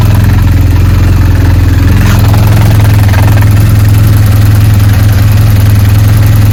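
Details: BMW R1200GS motorcycle at idle: loud steady idle with a deep hum and a rough, uneven churning underneath at about three beats a second; gearbox (transmission) noise.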